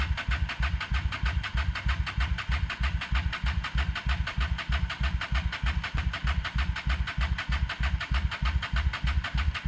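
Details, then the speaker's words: 1998 Honda Shadow 750 ACE, parked over 5 years outdoors, cleaned carburetor just reinstalled: steady rapid cranking about three beats a second that never catches; engine turns over but gets no fuel — cranks but won't start, fuel starvation. "um kept working on it after I got the carburetor in it still wouldn't crank properly"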